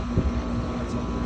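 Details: Trane XL16i central AC after a burnt capacitor terminal and wire were replaced: the compressor now starts on the first attempt; steady low hum with an even drone and some wind noise. Compressor and condenser fan running normally.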